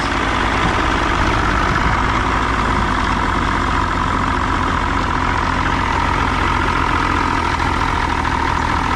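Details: 1993 Johnson 60hp outboard idles steadily with a smooth burble, no misses, surges or knocks, after Deoxit cleaning of a corroded battery cable; owner is pretty sure the corrosion was the whole problem.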